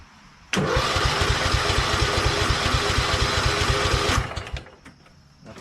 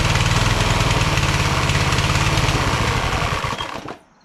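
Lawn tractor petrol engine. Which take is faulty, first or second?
first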